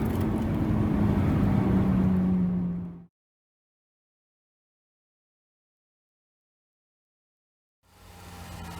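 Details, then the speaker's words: Honda Civic Type R FN2 (Mk8) revving after fitting a home-made cold air intake with RamAir silicone hoses, cone filter and existing MAF tube, OEM resonator box still fitted: strong rev with loud intake roar, cuts and returns, smooth and healthy. "right i think it's safe to say that sounds frigging awesome so i'm really chuffed with that"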